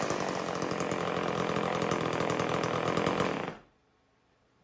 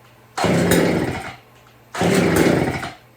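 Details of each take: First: Homelite 150 Automatic chainsaw: strong, even two-stroke buzz holding steady about three seconds, then cutting off cleanly; everything runs good. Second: Chainsaw revived with fresh gas, on choke with good compression: two short bursts of rough revving, each dying within about a second; fires but cannot hold throttle.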